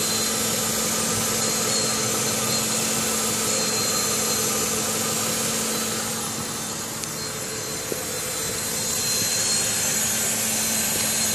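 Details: Car engine at idle a few hours after an oil change with Engine Restore added: steady high-pitched hiss and whine over a fast, fairly even ticking, heard for the first time; cause unknown.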